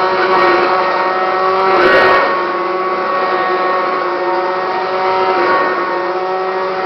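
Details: Kirby Classic 1-CR vacuum, used only three times after purchase, bearings went out and it grew louder and shakier: loud, harsh motor roar with stacked steady whining tones from worn motor bearings.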